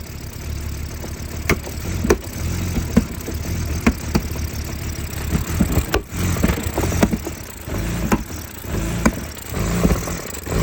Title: Help!!! 2004 BMW E46 325 CI Rough start, idle and popping sound from intake manifold.